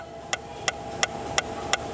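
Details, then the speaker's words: Citroën C4 Picasso rear noise: sharp metallic ticks about three per second from inside the rear body; stops when the panel is held; loose spot weld in the bodywork working and rattling. "tá aqui ó ponto de solda solto aqui na carroceria ó trabalhando tá"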